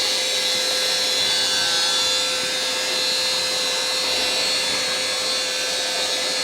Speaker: Howling motor push wet vac to the rescue. Come on. Slow, but it's working.